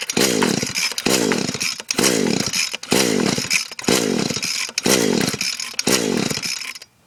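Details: Echo SRM-210 trimmer with fresh two-stroke fuel: seven quick pull-starts about a second apart, each a rising rattle of cranking that never fires; spark plug wet, compression about 150, only starts on WD-40; won't start.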